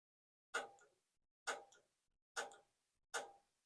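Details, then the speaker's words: Whole-home humidifier solenoid valve bench-tested off a power tool battery with no water running: four crisp clicks about a second apart, showing the valve opens and works fine. "so we can hear it clicking there's no water running for it if you hear the clicking sound then you know the solenoid valve is still good and you don't need to clean it"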